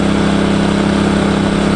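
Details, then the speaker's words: Engel 2500W inverter generator, first start after fresh oil and 91-octane unleaded, second pull: steady, even hum, no load, no misses, knocks or rattles, quieter than expected (rated 67 dB at 7 m); normal running. "that's that's not as loud as I thought it would be I was expecting it to be louder than that"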